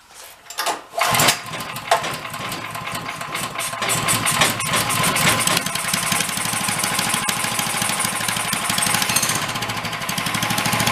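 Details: Free 13 hp Honda clone single-cylinder engine for a go-kart, run with choke after valve adjustment: rapid sharp rattling knock over the exhaust beat, getting louder as it runs.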